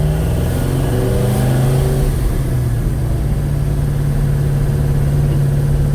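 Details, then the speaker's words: 1956 Chevy Bel Air, 307 V8, first drive, at 185° temperature with about 40 oil pressure: loud rough idle with diesel-like valve train clatter, stumbling and not picking up throttle; caused by mismatched valve springs and retainers, quiet after fix. "That valve train is very loud. Yeah, it's stumbling. It's stumbling. It's not picking up the throttle."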